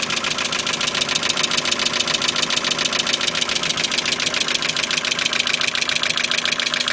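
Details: Mazda MX-5 petrol engine at idle with a sharp, steady pulsing about three to four beats a second, sounding slightly rough; owner unsure of cause.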